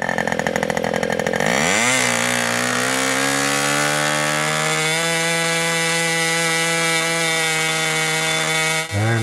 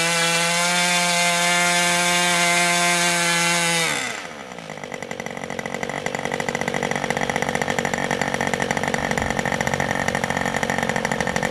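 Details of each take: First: Old Austrian HP 61 two-stroke nitro RC airplane engine, high-speed needle being turned in to lean at full throttle: note rises steadily then holds a clean even high scream; healthy full-throttle running, leaned until sound changes. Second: Old Austrian HP 61 two-stroke nitro RC airplane engine: high steady scream drops to soft, slightly burbly idle that keeps running; idle/transition mixture a little rich.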